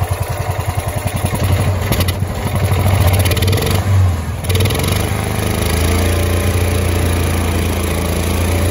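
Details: Kawasaki FE290D single in a John Deere Gator that ran and died, bucking and backfiring through intake and exhaust. After a new ignition coil it starts, settles into a steady even thump and picks up cleanly on the throttle; normal running.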